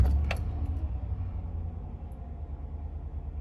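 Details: 2011 Ram 1500 5.7 Hemi after replacing faulty oil pressure sensor that read 96 psi engine-off: catches quickly, settles into even low idle rumble without knocks or ticks, about 50 psi, check engine light off; normal idle.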